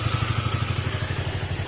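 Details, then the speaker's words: Honda RS150 single idling quietly after repair (cam holder sanded, engine reset). Even putter of about eleven beats a second, no rattle; normal idle. "At tahimik na rin siya."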